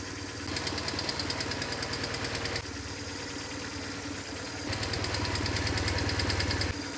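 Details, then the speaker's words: BMW R1150GS boxer twin after fixing an RPM-dependent sharp left-cylinder tapping: lumpy, even idle with a soft steady valve patter, no sharp tapping from either cylinder; noise resolved. "But hopefully you guys can hear that on camera, that this is totally resolved."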